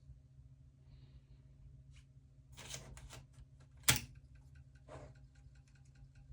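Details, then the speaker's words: Old crusty spare floppy drive on a Shuttle HOT-433 motherboard under restoration: sparse ticks and one sharp clack over a low hum, no steady seek rhythm; sounds bad, struggling and failing to read. "that doesn't sound great but let's see what happens well that one at least tried"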